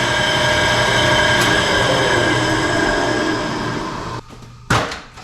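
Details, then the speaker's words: 20-inch Clausing three-phase drill press running in high range: rough gritty grinding under a steady whir from bad bearings up top, believed at the spring-loaded intermediate pulley; phase converter hum in background; fixed with new bearings. "think it's got a couple bad bearings up top this thing is really noisy let me show you"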